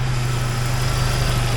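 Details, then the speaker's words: Jeep Wrangler YJ 2.5L replacement engine, first real run after fitting radiator hoses and coolant: an even, steady low-hum idle with the earlier lifter tick calmed down significantly. The lifter took longer to inflate; the engine is running well. "lifter must have taken a little bit longer to inflate I am really happy with this it is running awesome"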